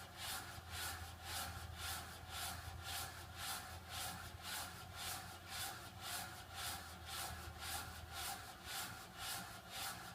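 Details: Water restrictor: a steady rasping whoosh pulsing about twice a second, like something rubbing as the water surges; the source of the rasp is unclear.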